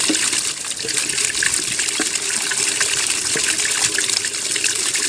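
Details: Washing machine with a jerry-rigged replacement drain pump motor, first proper medium wash, draining after the wash cycle with no leaks found: strong, steady gush of water into the drain, no rattle or labouring hum. Normal drain pump outflow.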